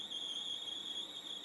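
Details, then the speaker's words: ATR Magnetics Master Tape C60 cassette after about 50 minutes of recording: thin steady high-pitched squeal over faint hiss. "eu ouvi esse ruído estride"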